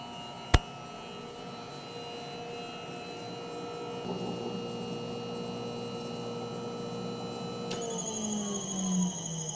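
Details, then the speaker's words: Gray water system control panel buzzing in low cistern water level alarm, demonstrated manually: gray water solenoid valve shut and domestic water solenoid valve opened; low water level alarm. "the system just went into alarm mode you hear the buzzing inside the uh panel and what happened now was the gray water Solen valve shut down and the domestic water Sol valve just opened"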